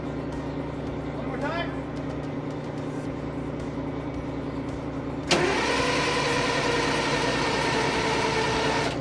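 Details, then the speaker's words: AVGP Husky armoured vehicle diesel, master switch, ignition and electric fuel pump on: steady starter churning, never catching. A couple of injectors were found seized on their racks in the no-fuel position, so it won't fire except on ether. "so we pulled the rocker covers and found out that couple of the injectors appear to be seized on the racks so they're stuck in a no fuel position so that's why it's not firing enough and we're not getting any kind of reaction other than we try with ether"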